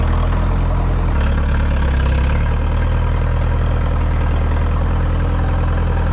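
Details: Ford 2701E 240 cu in four-cylinder diesel on a grapple log loader, sitting since 2005/2006 with 15-year-old fuel, after starting: deep steady chug settling into an even idle, no knocking or hunting; normal diesel idle.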